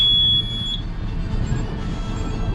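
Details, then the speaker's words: Hewescraft boat with twin Honda V6 outboards that labored to start: a short high-pitched beep over engine rumble, an outboard warning alarm attributed to low battery voltage. "So once this gets charged up, that alarm should go off, that high-pitched beep, which it sounds like it started to right now."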